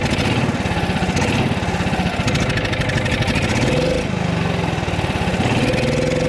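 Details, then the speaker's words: John Deere Gator single-cylinder engine, carburetor issue suspected: choppy putter falters and sags as throttle opens, then recovers; when hammered it blows gas out of the carburetor toward the breather side. Running better after partial fixes, not fully repaired. "But when I hammer that thing that it's blowing gas out of the carburetor, like towards the breather side."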